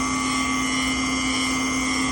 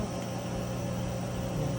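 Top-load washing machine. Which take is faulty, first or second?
first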